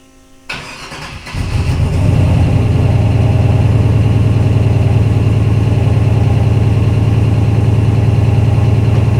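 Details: V8 starting up and settling to idle: steady, deep, regular knocking under the exhaust note, pointing to a worn rod bearing.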